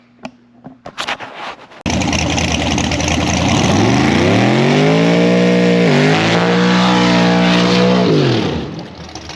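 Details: Twin-turbo Ford S550 drag car on track passes after its torque converter and transmission failed and the converter was replaced: loud revs climb and sag under load, and the new converter sounds too loose; suspected, not confirmed.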